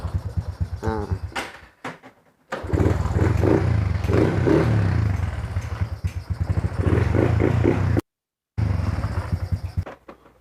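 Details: Honda Wave 125i after fuel pump fault (pump silent, no start) fixed by replacing pump part, pressure reading 28: engine blips and revs cleanly, settling between throttle bursts without stumbling; normal running.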